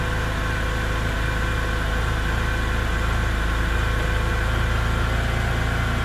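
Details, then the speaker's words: E90 BMW N52, 269,000 miles, cold start at idle a week and about 100 miles after an engine flush, Molygen oil change and lifter additive: steady low drone with a light, fairly regular tick. Lifter noise is reduced, but some valve noise remains. "everything together did make a noticeable improvement in quieting down the valves at idle. There is still a little bit of valve noise, but according to the bottle, that should quiet down."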